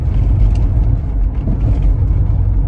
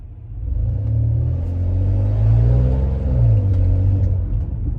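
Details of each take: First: 2005 Lexus RX330 under hard acceleration after replacing the exhaust gasket and bolts: deep smooth rumble with no ticking or puffing; power back to normal, check engine and VSC lights gone. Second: 2005 Lexus RX330 with a sudden exhaust leak: deep, raspy rumble that swells each time it is floored, with some power loss, check engine and VSC lights on.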